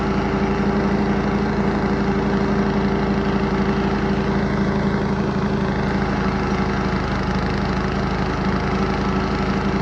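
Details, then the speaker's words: Cub Cadet 104 garden tractor, ant-infested and sitting many years, deck and mule-drive belt reinstalled: steady, even single-cylinder beat at constant speed under mowing load, no misses or knocks; fired right up and mows, running healthy. "Outside of the ant infestation, I can't believe it fired right up like that and started running. And mows. Now, don't get me wrong. They don't mow as pretty as a modern mower does. But they get the job done."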